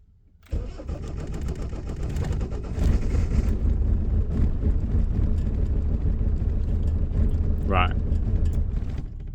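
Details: Motorhome van diesel, cold start at about 9–10° after sitting 2 days. It catches quickly but runs lumpy with stumbling beats at idle; later traced to injection timing set too late: retarded injection timing.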